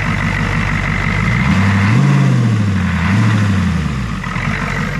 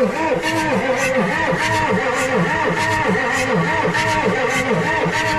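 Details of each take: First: Ford 6.9 IDI diesel, revived after sitting: deep, steady diesel clatter that swells with a couple of light throttle blips and settles back, firing evenly; healthy idle. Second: Ford 6.9 IDI diesel revival: loud, labored cranking with a chuffing beat about twice a second pushing back through the intake; owner suspects several intake valves hanging up, not confirmed.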